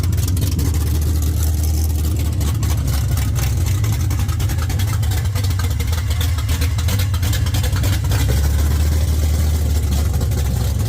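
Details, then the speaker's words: 1979 Mustang coupe with 5.0 V8 swap, first start on open headers (smoking as header coating burns off): loud deep steady lopey idle holding on its own without throttle; running fine. "she runs uh without having to hold the throttle or anything like that. It's it's idling. It's going to sound pretty good with an exhaust on it."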